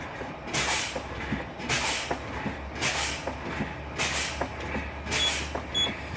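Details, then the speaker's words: Truck air brake system with a diesel idling underneath, the brake being fanned to drop air pressure from about 70 toward 60 psi to bring on the low-air warning. Repeated sharp air hisses about once a second. Normal air brake application and release. "so what we're going to do now is start Fanning this brake to get down into the 60 to hear that the intercat intercat light goes off"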